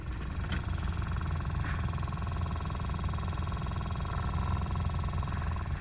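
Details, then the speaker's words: 2016 Honda HR-V cabin blower motor failing: steady fan rush with low uneven "da-da-da" thumping underneath, while all modes and heat/cold still work; blower replaced with new unit. "You can hear that noise. It's like da, da, da, da, da, da, da, da."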